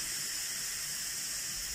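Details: Instant Pot Duo Evo Plus electric pressure cooker releasing pressure after cooking pasta e ceci: steady, even high-pitched steam hiss with no sputter or whistle until the float valve drops and the lid can open; normal venting.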